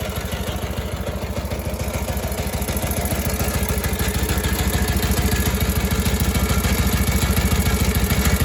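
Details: Harley-Davidson WLA 45 flathead at idle: steady loping idle, about three and a half beats a second, with an extra clatter through each beat; abnormal idle noise, cause unclear.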